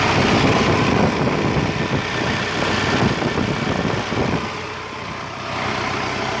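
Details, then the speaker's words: Raul King 55 HP tractor after welding the broken thin cover on the four-wheel-drive shaft that caused a grinding screech in reverse: steady, even engine beat at idle, no screech or scraping; normal running after repair. "all you need to go is go under the tractor pull the cover down and try to weld it again and that's it the noise is gone"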